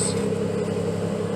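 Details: Nissan 300ZX after power steering pressure line replacement, wheel turned lock to lock to bleed air: engine holds a steady, even hum with no whine or groan; steering sounds healthy, belts quiet.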